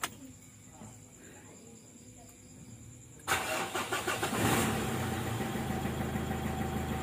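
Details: Mitsubishi Strada Triton diesel, first start after resealing leaking pressure regulator valve on fuel pump (complaint: stalling, fuel leak), at night: starter cranks briefly, engine catches cleanly into steady, even diesel idle.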